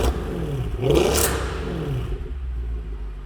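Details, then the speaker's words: Mercedes C63 AMG Edition 507 Coupe, naturally aspirated V8, after fixing its engine issues. Deep rumble blips up and settles smoothly with no shaking, misfire or tick; healthy engine with sharp throttle response. "running smooth right off idle is good yeah no shaking it's definitely not is firing it's definitely not ticking the throttle response is ridiculous on these cars no tick at all"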